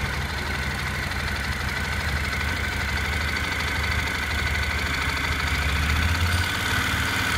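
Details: Honda NC700X motorcycle fully hot at idle: loose, uneven rattle about three taps a second over low thrum, knocking from the right side of the engine only once it heats up; origin unknown.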